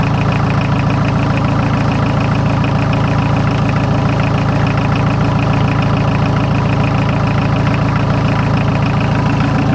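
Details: 43-year-old VW diesel truck, started after glow plugs on a ten-year-old battery, first start in a year, in neutral: steady, even diesel clatter about 3.5 beats a second, firm low hum; healthy idle.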